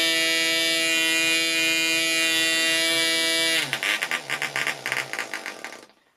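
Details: Progress Aero Works .55 model engine running at the optimum compression setting: steady high-pitched scream, smooth, before slowing and sputtering to a stop.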